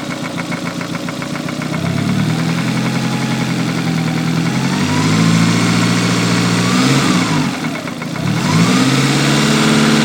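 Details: Lancia Delta Integrale 16v engine: a steady, rapid knock at idle that follows the revs when blipped; rod knock, crank or valves suspected, unconfirmed.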